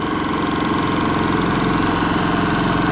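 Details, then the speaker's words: Kipor IG3000/IG3500 inverter generator with Champion inverter board wired to outlets, supplying power from the outlet: steady even hum, unchanging pitch, no knocks or surging; normal running under load. "we have power guys we made it everything seems to be now now we have the wiring done and everything seems to be working properly"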